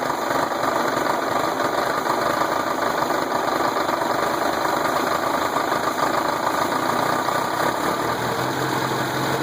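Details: Volkswagen engine at even idle with a dull, rhythmic tapping knock following engine speed; owner suspects rod knock, unconfirmed.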